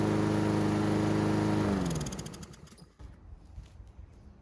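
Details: Honda GCV160 engine on Husqvarna AWD mower, air filter off to watch wax-pellet automatic choke: steady even drone for under two seconds then winds down and stops; healthy, automatic choke working properly.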